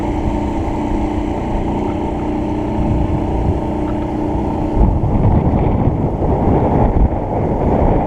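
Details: Mercury 50 outboard on boat test after long project: steady drone rising to a rougher, louder roar as throttle opens, wind rush over top; throttle still needs adjusting, otherwise running smooth, water flowing.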